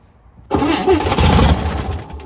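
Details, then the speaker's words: 1962 Chevy Corvair after 40 years sitting, new starter, tried on carb cleaner with no fuel: irregular rough scraping and clatter under cranking from the crankcase area; owner unsure whether starter or flywheel. "Uh, there's a odd sound in the crank case area."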